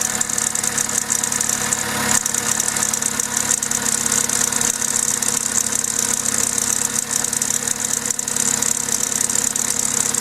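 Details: Vauxhall/Opel A14XER 1.4 L naturally aspirated inline-4 petrol at start-up: busy, loose metallic timing chain rattle over idle, called normal by a garage; two weeks later the chain jumped a tooth and the engine ran rough.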